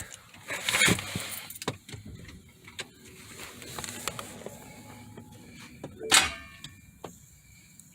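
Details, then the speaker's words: 2013 BMW 5 Series, 130,000 miles, overheated engine now seized: turning the key gives only a loud starter clunk, engine never rotates; starter confirmed OK by a shop, car also stuck in park. "see that loud noise that's the sound of a seized engine over here you can see how we can draw all the energy but he's not starting"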